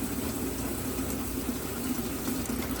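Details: 1995 Mercedes S500 (W140) dual fuel pump jumped directly from the trunk battery with alligator clips before removal: constant mid-pitched hum with the gurgle of fuel moving through; pump running steadily with really good fuel flow.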